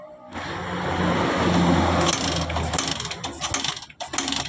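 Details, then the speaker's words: 2010 Suzuki Satria FU with lost compression and hard starting: the starter churns steadily with weak, uneven puffs and the engine never catches. Finding is low compression, consistent with bent intake valves. "masalahnya motor ini hilang kompresi jadi susah hidup ya"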